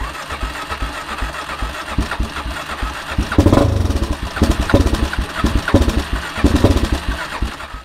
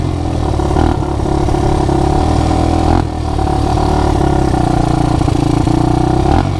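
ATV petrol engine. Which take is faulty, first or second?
first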